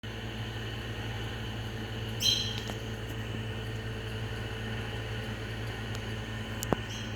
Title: Lenco-Middy's style 3 exhaust fan with bad bearings